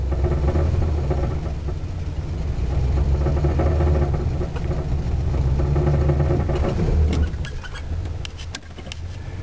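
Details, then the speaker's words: Car with suspected slipped timing chain, worn valves and bad carburetor, on 91 octane: rough uneven rumble surges and sags when throttle pushed further, valves knocking; engine bucking under heavy throttle, cause suspected. "and it starts to Buck and Chuck right there sounds nice you can hear the valves knocking"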